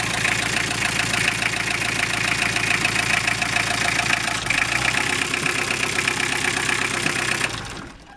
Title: toyota emina estima 3c-te стук в двигателе